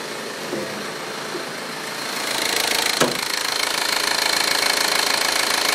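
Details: Audi A4 1.8T at idle after a 3.5–4 hour drive with the low oil pressure light on: sharp even ticking about three per second, suspected valvetrain tick from low oil pressure.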